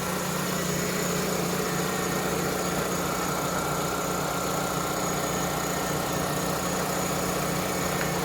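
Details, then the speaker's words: Vauxhall/Opel Astra F MK3 GLS saloon, 1.6 16V, at idle, listened to at the engine bay: even idle with a thin constant high whine, no knocking; owner says it's just a bearing. "i'll just listen to that it's just bearing"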